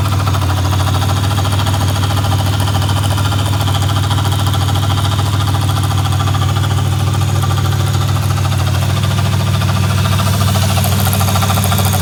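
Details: 2009 Chevy Impala at idle: deep, steady drone with a loose beat about twice a second riding on it; abnormal engine noise at idle, cause unknown.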